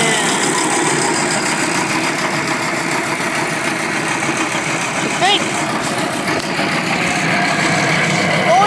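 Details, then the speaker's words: Cheap used air compressor, motor rewired to spin the correct direction: loud harsh continuous metallic grinding while pumping, pressure just over 40 and the motor slowing toward a stop; metal-on-metal contact inside, cause unknown. "beide how warm there's a really big metal grinding sound here I me there's a really big metal grinding sound in [Applause] them"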